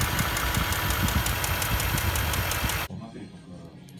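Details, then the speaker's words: Land Rover Discovery 3 4.4 V8 petrol with customer complaint of lifter-like ticking: fast, even metallic ticking over the running engine; cause found to be a spark plug whose inner insulator had completely separated, ceramic not crumbled into cylinder. "при откручивании свечей зажигания для осмотра цилиндров был обнаружен что внутренний изолятор полностью изолятора отделился"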